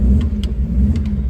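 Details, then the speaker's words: 1966 Ford Corsair Deluxe 1700 V4 cold start on a cold day: fires up nicely with a deep, even rumble and steady firing, fuel pump audible pumping, no knocks or misses; normal cold start. "oh that's very nice so few reps up nicely and I can hear the fuel pump pumping away and it's a cold day here but this one always starts very very nicely"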